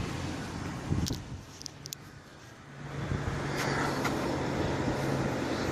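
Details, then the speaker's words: Holden VY Series II Crewman Cross 8 V8 after fuel pump replacement and tub/tray refit, no leaks found: low, steady idle hum that holds evenly with no misses or knocks; running normally, coolant still to be topped up. "i've left no tools in here on that correctly running good"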